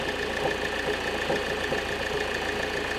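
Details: 2005 Opel Vectra C 1.9 diesel, about 170,000 km, heard under the hood: dull uneven knock about twice a second at idle with clutch pedal released; suspected failed dual-mass flywheel, clutch and flywheel to be replaced.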